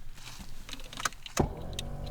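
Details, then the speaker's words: Budget first car with the key turned to position 2: after the key clicks, a steady low whirring drone comes from the vent and holds even, likened to a dusty old PS3; the heater blower runs loud and rough. "That's what my heater sounds like. Fucking hell. Yeah, it's coming from that vent, look. Yeah, that sounds like a really old PS3 that's full of dust."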